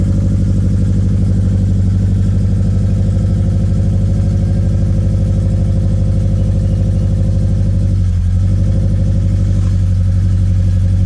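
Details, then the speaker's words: 2013 Scion FR-S (BRZ twin) bought with a rod knock, original engine before a used-engine swap, at idle; a regular deep knock about three a second on the low engine note: rod knock. "in today's video we have another great example of why my wife keeps trying to take my Facebook Marketplace away this 2013 F FRS with a rod knock and uh some paint defects and some great Wheels"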